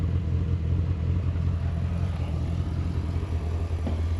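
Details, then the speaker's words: 1988 Corvette C4 with 350 (5.7 L) V8 during inspection, heard from the rear: discreet stock exhaust, deep even rumble with no rattles or misses, louder when throttle is pressed; normal exhaust sound. "Bon, c'est un son d'origine discret malgré tout, jusqu'à ce qu'on appuie bien sûr sur l'accélérateur. Et là, on entend la cavalerie."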